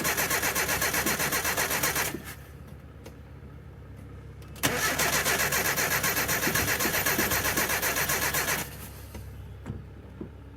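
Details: Abandoned 1984 Nissan/Datsun 720 with Z24 four-cylinder (8-plug wasted-spark ignition), first start attempt after about 20 years sitting, cranked with no throttle: two long bursts of fast, regular starter churning, never catching; cranks but won't fire, possibly flooded.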